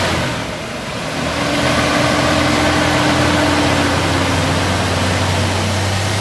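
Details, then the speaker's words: 2003 Toyota Kijang Kapsul during tune-up, after combustion-chamber cleaner foam soaked 15 minutes and spark plugs were cleaned: starter cranks long before the engine catches and runs steady, due to residual foam. "Nah, ini agak panjang starternya karena masih ada sisa foam tadi. Kita starter panjang seperti itu."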